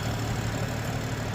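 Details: Crashed BMW M2 six-cylinder idling after the sabotaged, disconnected number six cylinder coil pack plug was reconnected; even low idle hum that holds steady with no stumble, all six cylinders firing cleanly.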